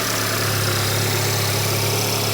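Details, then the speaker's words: VW Golf R Mk7 salvage car, first start, no coolant fitted, weak battery: smooth, even idle with a steady low hum and no knocks or misses, followed by a brief blip. Engine sounds healthy, no leaks. "Sounds all right. Just going to give it a little blip and then we'll turn it off cuz there's no coolant."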